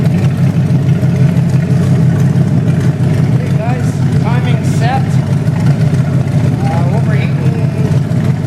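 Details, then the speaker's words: 1928 Dodge with a 440 V8, cam broken in, timing and new Edelbrock carburetor set, fuel pump and overheating fixed (fan modified, stays at 180). Big V8 burbles with a steady low beat and picks up cleanly when blipped; healthy, no knocks. "got the cam broke in timing set carburetor set and it sounds awesome i'm really really happy"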